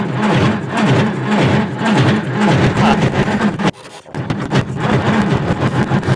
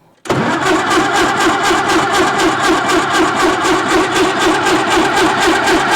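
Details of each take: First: 1950s Caterpillar Traxcavator track loader diesel, long unrun, cranking on 12 volts with ether: starter drags slowly in uneven bursts and never catches; slow cranking, no start, owner wishes to check injector fuel. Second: 1950s Caterpillar Traxcavator track loader diesel, long unused, started on 24 volts: fires straight away and holds an even idle, about four pulses a second, no misses or knocks; runs with oil pressure, water temperature still low, normal start and idle.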